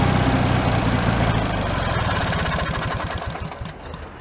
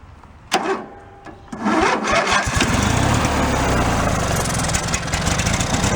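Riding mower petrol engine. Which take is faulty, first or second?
first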